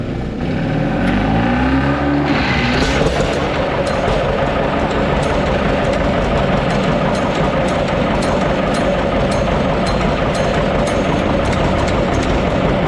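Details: John Deere 720D diesel tractor: small pony start engine cranks and catches, then a steady, even diesel beat with regular light ticking; previous no-start issue fixed, normal starting and running.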